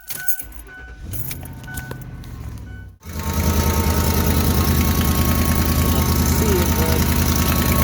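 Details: Cold start with a sharp, even tick at about three per second over the idle: an exhaust leak at the joint where the exhaust manifold meets the pipe, to be patched temporarily with muffler weld.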